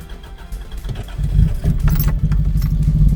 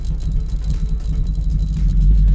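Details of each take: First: 1994 Mazda MX5 after a bad connection was re-soldered, having misfired badly before. Steady low rumble at idle with even firing, no misses or knocks; it now sounds healthy and smooth. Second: Mazda Miata driven at low speed under throttle with a dodgy, possibly broken terminal connection: a low, lumpy rumble stumbling unevenly. Still misfiring badly, though better than last time.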